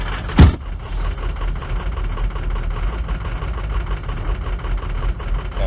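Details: Ford F350 6.0L Powerstroke diesel, cold start at -22 °C with weak batteries, before injector replacement; hard to start, low uneven rumble surging and sagging, dies when pedal released: rough idle from worn injectors, fixed by Ford reman injectors.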